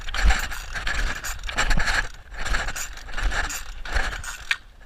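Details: Weed wacker (string trimmer) won't start: repeated uneven pulls on the starter cord, each a short ratchety rasp, and the engine never fires or catches.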